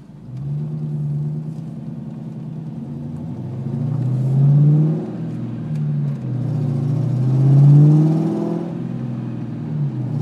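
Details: 2002 Ford Mustang GT V8 running and revving: a deep low rumble that swells with throttle, with an uneven puffing in the exhaust note. An exhaust leak is suspected but not confirmed.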